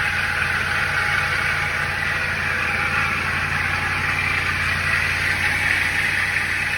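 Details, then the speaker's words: Lexus GX470 V8 with exhaust fitted, first start-up and steady idle: a loud, fast metallic rattle rides over the engine note, which the owner attributes to the alternator; cause suspected, not confirmed. "sounds pretty good it's got exhaust on it but the i can hear that alternator just rattling away it sounds horrible"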